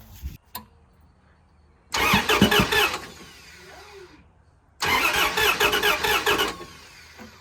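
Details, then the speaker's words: Starter just reinstalled with threadlocked bolts and enough electrical connections made: two short bursts of even, brisk cranking without firing; the starter works and turns the engine over. "starter works we've did enough electrical connections to make it turn over at least"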